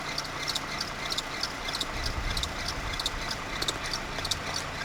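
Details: Renault F4R engine: sharp, light, high-pitched ticks at roughly one and a half per second over a steady idle hum; the source is not yet identified.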